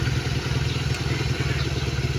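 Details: Fury 125 single-cylinder motorcycle after magneto disassembly and check for a knocking when kick-started: idles with a steady, even low thump, no knocks or rattles; magneto no longer hitting.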